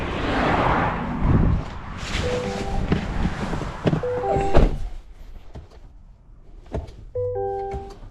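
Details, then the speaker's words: 2023 GMC Yukon Denali, 96,242 miles, stalled while driving, boosted from 11 volts: single sharp starter clicks every second or so with a warning chime and no cranking; engine suspected seized, dipstick showed no oil. "Seems like the starter is clicking. Yeah, the starter is clicking. Did the engine get seized?"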